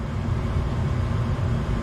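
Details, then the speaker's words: Furnace after replacing transformer, control board, blower motor and capacitor, first start after gas ignition: steady low hum as new blower motor winds up to speed, no scraping or rattle; normal blower startup. "now we're just waiting for a signal for the blower motor next that's is news capacitor so it might take just a second to charge the first time but it looks like it's just starting to wind"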